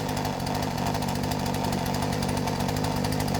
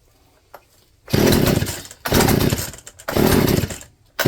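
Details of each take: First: Poulan P3416 34cc chainsaw with new Hipa C1M-W26 carburetor, after idle and low-speed screw adjustments: ticks over at an even, steady rapid beat without hunting. Normal idle. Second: Poulan P3416 34cc chainsaw with new out-of-box Hipa C1M-W26 carburetor: catches in four ragged one-second bursts, revs surging and sagging then dying; carburetor needs mixture adjustment. Rough running.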